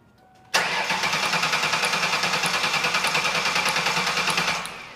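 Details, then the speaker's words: 2001 Ford Taurus cranking at about three beats a second without firing. The inertia switch is pushed in and spark is confirmed, but the fuel pump is not heard priming at key-on. Crank no start from a dead fuel pump with no fuel pressure. "have spark but when we turn the key on before cranking the engine over we notice that we didn't hear the fuel pump coming on"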